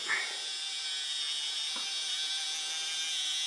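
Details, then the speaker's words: Roco HOe starter set 31034 narrow-gauge locomotive, straight out of the box, running around the track: a thin, constant high buzz, very noisy, though it otherwise runs fine. "when it runs it runs fine but it runs very noisily"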